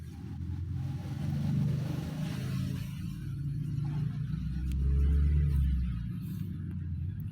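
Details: Isuzu 4HL1 CRDI diesel truck engine after piston, piston ring, liner and conrod bushing replacement: loud, rough idle with heavy low clatter; knocking, cause suspected, not confirmed.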